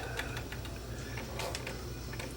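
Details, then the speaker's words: Sony SL330 Betamax, 711B3 chassis, plungerless design with single loading motor: motor hums with quick light clicks about six a second but nothing loads or ejects, head drum not turning; loading mechanism jams, owner notes this motor typically sticks. "you can hear the motors coming on but it's not doing anything unless I do this so now it works but it"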